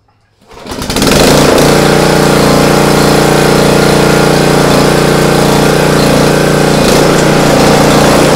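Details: Swisher 44 rough-cut mower started after bearing hub, housing and Kevlar belt replacement with ignition wires reconnected; engine catches within a second and settles into a steady, even drone with no knocking or grinding; runs healthy.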